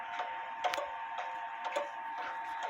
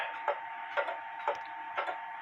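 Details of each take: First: Clock on leveled stand, crutch bent left; light ticks roughly every half second with uneven tick-tock spacing, still out of beat. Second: Clock in beat, running with a somewhat even tick-tock; crisp, evenly spaced ticks about two per second in a quiet background.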